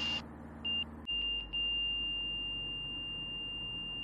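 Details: Van's RV-6 with Garmin G3X Touch angle-of-attack audio, stalling in turns: a sharp high tone chirps in short bursts, then holds steady at the stall, around 68 mph and about 80 mph in an accelerated stall. Stall warning working.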